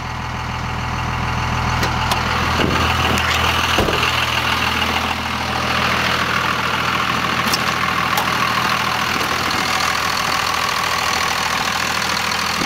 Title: Weird noise?